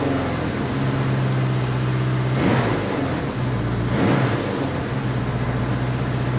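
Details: Honda CB500 four-cylinder, choke start; steady fast idle held well above normal, around 2000 rpm, even drone, not settling; idle set too high, cause not confirmed.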